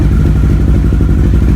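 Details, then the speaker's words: 1983 VW Rabbit GTI rebuilt engine: steady, even low idle with a regular exhaust pulse and no knocks or misses; not burning much oil; normal idle. "not burning a lot of oil, doesn't smell very oily. Yeah, we're in a pretty good place."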